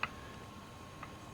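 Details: Original open differential removed from a Charger SRT8, input flange rocked by hand: two light, crisp metallic clicks about a second apart, virtually no play, normal gear backlash, compared with the excessive play of the installed Wavetrac.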